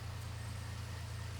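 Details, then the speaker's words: Free car with an intermittent whining noise (owner unsure, suspects power steering; alternator seen jumping): smooth low steady idle hum with no knocking or ticking on top; the engine itself sounds healthy. "everything else sounds good there's no knocking there's no ticking the engine"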